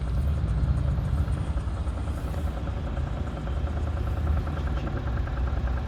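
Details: Audi A4 3.0 TDI 218 PS diesel at idle: steady low drone with a fine, fast rattle from the engine bay; defective oil pump suspected, not confirmed.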